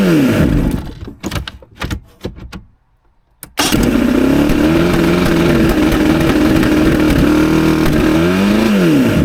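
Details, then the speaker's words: Mercury 115 outboard on first start after fuel line reconnected and primed: catches and climbs to a fast racing idle, dips and surges back up, still revving high as before; owner then found an issue with the throttle butterflies. "Looks like it's still revving all funny."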